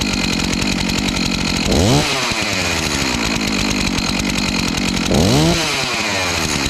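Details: Stihl MS251C chainsaw after clutch and melted cover replacement, test-run without chain: two-stroke revs crisply, blips up twice and drops back to a steady idle each time; normal running.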